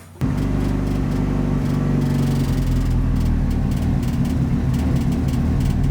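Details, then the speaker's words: Fully built Mitsubishi Evo 9 engine in its break-in period, after its first start on a new tune and around its first oil change. It fires up quickly and settles into a smooth, even idle with a steady low drone and no tapping. "I can just go in there turn the key and it just fires up and it idles nice"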